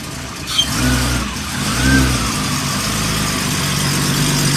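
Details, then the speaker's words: Godzilla Raceworks build at final inspection, steady idle with a rev blip: thin high whistle rising with throttle from the ProtunerZ throttle body, still whistling; engine has a little over 100 miles since build. Intake whistle from throttle body. "Yeah, you can hear that ProtunerZ throttle body is still whistling."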